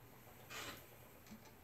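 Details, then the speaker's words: Kromski Fantasia spinning wheel in a quiet room: a short sharp click, then faint ticks, not occurring every turn of the wheel; an intermittent click of unknown source, possibly something underneath. "Where is that? But it's not happening every time the wheel goes around. Maybe there's something underneath it I can't see."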